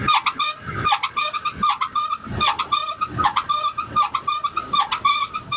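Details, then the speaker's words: Conveyor belt tail drum: high, chirpy squeak repeating a bit more than once a second in time with rotation. The bearing shows slight movement. Suspected tail drum bearing, or something caught between drum and frame, or a slightly bent drum. "That noise you can hear is the tail drum bearing. Now whether it's the tail drum bearing or the tail drum with something stuck between the drum and the frame, I'm not too sure."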